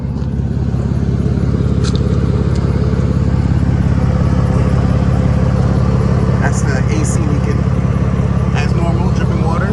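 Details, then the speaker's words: 2009 Mercedes-Benz C300 (W204) sport, 6-speed manual, at idle: a fast, even puffing tick about three a second over the low engine note. The exhaust leak comes from exhaust piping underneath that broke and cracked off. "all right so listen i got an exhaust leak i'm trying to fix it but i need to figure out what type of exhaust leak it is"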